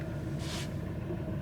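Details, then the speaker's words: 2009 Volvo V70, idling with check-engine light on: uneven stumbling rumble, misfire; codes include P0303 cylinder 3 misfire, knock sensor and throttle codes. "Ja, vi hör lite misständningar när han går på tomgång här."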